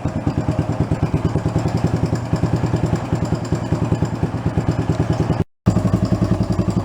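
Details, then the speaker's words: 1975 Honda TL250 barn-find single-cylinder, sat 20 years with seized engine freed, warm after about 20 minutes running: idle with quick even light clatter on every beat, tappy; valve clearance to be readjusted, valve tappet ticking. "but it's running good all the gears feel firing everything feels decent on it its tappy"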